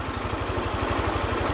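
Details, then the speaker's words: Honda Click 125i scooter idling after water pump replacement and ECU value reset that cured stalling at idle; engine now normal, but a dry, gritty rumble comes from the clutch bell bearing. "นี่คือปกติแล้วนะครับส่วนที่ดังคือดังในลูกปืนชามคลาสนะ"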